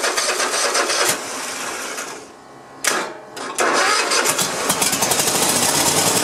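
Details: Cub Cadet i1050 zero-turn left outside for years, primed: starter churns in bursts with brief pauses, engine never catches; cranks but won't start.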